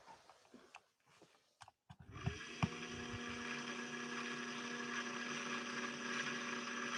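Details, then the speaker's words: 1961 Singer 401A sewing machine motor hums up slowly to a laboured, steady whirr as if fighting binding; heavy buildup on the clutch release needing deep cleaning may be the cause of its lacking power. "trying so hard to press past the barrier that's holding it back right now this machine has grit and determination and even though it's being hindered right now it's trying to break past that boundary"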